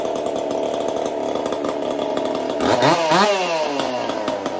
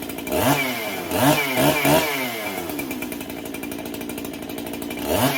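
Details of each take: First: Chainsaw fitted with a 372 carburetor, repaired ball-bearing detent and a copper-wire choke, test run after repair: steady crisp high idle, then a clean quick rev up and back down with no stumble; runs right. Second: Freshly built 371 chainsaw being broken in, cold start on a chilly day: blips in uneven bursts and hunts at idle between throttle stabs; low-speed circuit lean when cold, cleans up after idling briefly; owner may richen low-speed.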